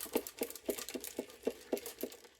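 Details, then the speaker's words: 1960 GE P780 portable radio, back still on: shaking the case gives sharp, light rattles of a small loose object bouncing inside, a bad sign before opening it. "hear that shaking and rattling. That's uh that's not good."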